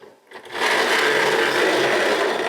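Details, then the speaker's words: Tri-ang Hornby model railway locomotive powered up on the wooden bench, not yet on track: steady loud buzzing electric growl at constant pitch, resonating through the woodwork; rough, noisy motor, possibly amplified by the bench. "yeah that's definitely grow isn't it but then that's that's right onto the woodwork"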